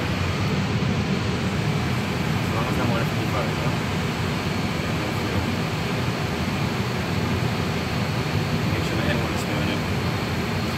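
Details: Airbus A320neo engine dry motoring on the starter during an MCDU operational check after starter valve replacement. Steady, even rushing roar with no grinding or rubbing. Normal, healthy dry motoring.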